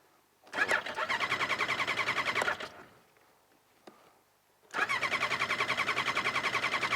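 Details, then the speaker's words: Snowmobile with carbs on ethanol fuel treated with stabilizer, newly fitted relay: two bursts of rapid, even cranking with a gap, never catching cleanly; hard starting, owner suspects gas drained from carbs after sitting and wonky carbs that ran really rich. "seems like when they sit key had the same problem when these ones sit I if the gas drains out of the carbs a little harder to start like that"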